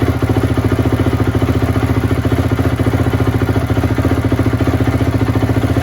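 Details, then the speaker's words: Rebuilt 2004 Honda CRF250: crisp regular four-stroke pulses at a steady pace with no misses, rattles or hunting; engine runs healthy and smooth. "it's running really good now so uh with that said uh if you guys want to stick around after I'll start the bike one more time and rev it up a little bit"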